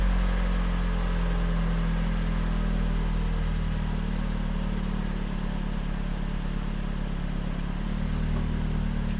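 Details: Hyundai Creta (ix25) after finding and repairing a rattling exhaust; deep, even exhaust drone with no tinny buzzing or loose rattling; exhaust sound and secure after repair.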